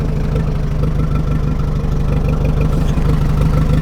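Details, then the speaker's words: 1961 Oliver 550 tractor with a Marvel Schebler carburetor, after carb work: an even, quick idle thump of about three beats a second, sounding set too fast (the owner thinks it should be about 400 rpm). The owner suspects it is slightly lean, idled too high, or the timing is off. "so might be a little a little bit lean might be idled a little bit too high maybe the timing is a little bit off"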